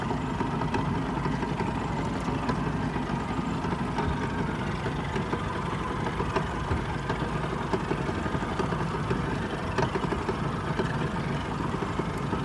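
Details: 2004 Yamaha F150 outboard idling: deep, steady rumble cut by occasional sharp knocks, an engine knock.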